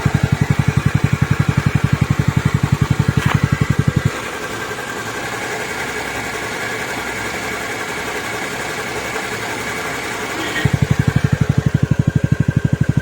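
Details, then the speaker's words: TVS NTORQ BS6 scooter engine idling after repair (rotten valve and valve seal replaced, crank and block kit problem fixed): even, steady putter with a brief smoother stretch, no knocking or rattling; engine noise now normal. "आप जो सुना है, car आवाज एकदम सही है।"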